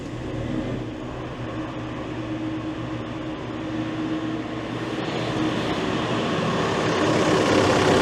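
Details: Case CX80 excavator diesel, started with the throttle set to idle, checking for turbo oil leaks: a steady low idle with an even chug and no whistle, knock or rattle; a healthy fresh start.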